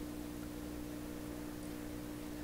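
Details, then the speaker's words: 1928 RCA Victor Model 28V radio after rebuilt filter capacitors installed, run on a dim bulb tester at about 100 volts, no antenna: steady low hum at one pitch, unchanged from before the capacitor rebuild; mains hum, cause not pinned down. "Turn it up. It's still humming the same way it did before. I don't like that."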